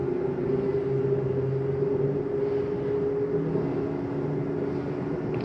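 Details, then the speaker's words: Slide number three on a 2023 Jayco Eagle HT 30.5CKTS fifth wheel retracting: steady, even electric motor hum at constant pitch, no grinding or straining, stopping cleanly; normal slide-out motor operation. "that noise is okay to hear that noise is a slide saying I'm all the way out sometimes do it coming in as well"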